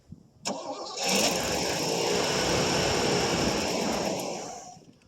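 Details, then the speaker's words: 1989 Pontiac Safari wagon off the road 18 years, cold start attempt with mechanical fuel pump, old gas smell: starter churns about four seconds with no firing; cranks but won't start, suspected gummy carburetor, old gas or fuel pump. "Try it. Could be gummy carburetor, too. That wouldn't surprise me any. Or the gas is just so so old."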